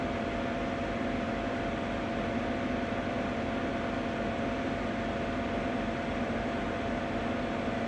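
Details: Ninja Foodi 8-in-1 recorded cold (first recording); the owner reports unbearable noise once it heats up. A steady loud whirring drone with a constant hum and a faint higher whine; cause unclear. Loud running noise.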